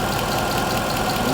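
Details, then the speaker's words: Mercedes W204 C63 AMG M156 V8 after cylinder head/camshaft-wear rebuild, idling 15 minutes to full operating temperature: smooth even deep burble, no ticking or stumbles; earlier tappet noise gone, no misfires, normal idle. "that is running spot on no misfires nothing right it's been running for 15 minutes all the tapping noises have gone"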